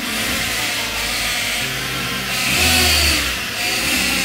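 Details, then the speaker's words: Kia Cerato idling with all belts removed, faint steady high whine persists, so noise is from the automatic transmission, not belt accessories; car also fails to engage gears on time; earlier shop misdiagnosed it. "vendo que o barulho continua então o que acontece o mecânico que abandonou esse carro aqui ó um Kia Cerato tá ele avalia o errado porque o barulho tá aqui no campo"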